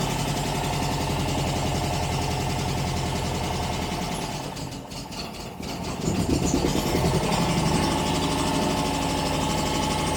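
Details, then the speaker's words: 1949 MG TC after exhaust leak repair, on choke: lumpy, uneven idle with skipping beats, not running on all cylinders; plugs still need cleaning and points checking. "Doesn't sound like it's leaking up there. Still not running great. Still need to clean the plugs, check the points."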